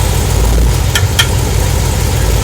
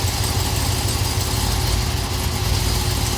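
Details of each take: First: Camaro with automatic transmission, shifted between drive and reverse at idle: two sharp clicks about a fifth of a second apart on engagement, a rear-end driveline clunk attributed to missing axle thrust washers (TSB fix). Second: Camaro after the rear-end thrust washer TSB repair for a click noise, shifting between reverse and drive while held on the brake: smooth, even idle, slight movement, no clunk. Noise gone, normal driveline engagement.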